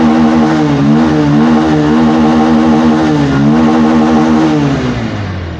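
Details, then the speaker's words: Bajaj Pulsar 150 BS6 after fixing an idle-off and low-pickup fault by replacing the full throttle body (MAP sensor alone didn't fix it), TPS about 9% at idle: revs climb and fall back cleanly twice, no hesitation or bogging. Normal revving. "வண்டி வந்து இப்போ நமக்கு ஐட்லிங்கும் கரெக்டாக இருக்குது, பிக்கப்பும் சடனாக எதுவும் அடைக்கிற complaint எதுவும் இல்லை, அந்த தம்மு வாங்குகிற பிரச்சனை அமுங்குற பிரச்சனை எதுவும் இல்லை."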